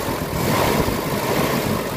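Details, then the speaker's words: Mitsubishi Adventure gasoline engine at idle, before Xado engine treatment: uneven, lumpy pulse with wavering speed instead of a steady beat; rough idle with throttle delay and low power complaint, cause not pinned down. "Medyo nangangatal yung andar ng makina."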